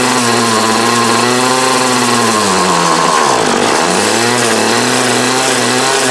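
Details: 2008 Troy Bilt TB20CS 31cc two-stroke trimmer with new fuel lines, filter and primer: buzzing note bogs for a second mid-run, then recovers; it runs only on half choke, and the owner suspects dirt in the carb.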